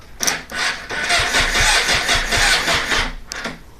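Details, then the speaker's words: 2006 Suzuki GSX-R600: starter spins the engine in quick, even beats about three per second for two seconds but it never fires; relays, ECU, tip-over sensor, clutch and handlebar switches checked, owner suspects battery may now be weak. "that's what it does it just kicks over it kicks over kicks over doesn't do [ __ ]"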